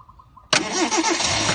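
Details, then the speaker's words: Mazda 1300 5-speed car, year-34 registration: quick crank, starts easily and settles into a quiet, steady, even idle with no misses or knocks; healthy start. "แล้วนะฮะนี่คือเครื่องติดแล้วนะครับเงียบจิดเลยนะฮะเครื่องติดแล้วนะครับเดินนิ่งเลยนะฮะ"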